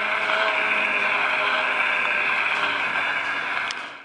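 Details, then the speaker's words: Antique circa-1900 spring-wound phonograph playing a record. Scratchy playback with the pitch slowly sagging and fading: the spring motor is running down and needs winding. "sounds like it's winding down"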